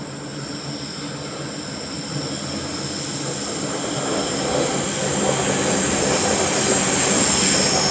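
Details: Train rounding the sharp bend above the tunnel between Waverton and Wollstonecraft stations, North Sydney: loud, sustained high-pitched screech over steady rolling rumble; wheel-on-rail squeal on a tight curve.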